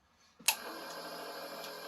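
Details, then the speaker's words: Ford F-150 at key-on, heard in a quiet cab, after hooking up the fuel system and fixing a blown dash fuse. A click, then a steady high whir: fuel pump priming normally. "So, this is for the fuel. Yeah. So, now when you listen carefully."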